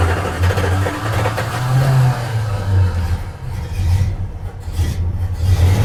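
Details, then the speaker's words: 1976 Dodge Club Cab Adventurer, tired 318 V8 with leaking valve covers and rich carburetor, idles roughly with a deep hollow clunking from the bottom end; confirmed rod knock, though oil pressure is present. "Let's see if you guys can come down here and hear that rod knock. That's what I think it is."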